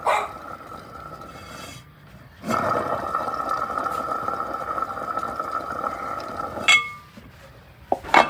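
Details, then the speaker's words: Electric scooter hub motor, previously dismantled, spun with the hub opened: a rough, squealing whir holds steady, the sound of a worn bearing (6201 type, one on each side); the noise is heard most under acceleration. "നമ്മൾ കേട്ടില്ലേ അതാണ് ഈ മോട്ടോറിന്റെ bearing ബോമ്പുള്ള sound നമ്മൾ ആക്സിലറ സമയത്ത് ഈ ഒരു സൗണ് ആണ് കൂടുതലായിട്ട് പുറത്തു കേൾക്കുന്നത്"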